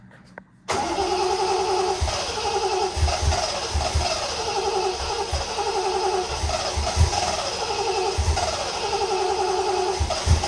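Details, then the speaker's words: Triumph TR6 mystery non-start, plugs cleaned and gapped, overfilled thick oil with fuel in the oil: starter churns steadily, then a few irregular thumps as it seems to fire on only two cylinders; uneven firing while cranking, compression test next. "sounds like she's when she fired she fired on two cylinders or something like that"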